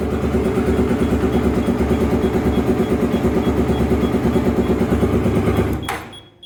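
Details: Honda Twister 250, first start after repair of a top-end noise (cylinder head off, threads cut for two bolts): even, steady single-cylinder thump about three beats a second, no ticking or knocking on top, runs clean before shutting off.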